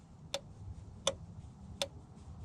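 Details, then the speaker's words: Ford Ranger no-start diagnosis, hood open, fuel pump relay commanded on and off with a scan tool: four crisp, evenly spaced clicks about 0.7 s apart; relay switching properly. "okay so that's the fuel pump relay we know that's active that's inside of here"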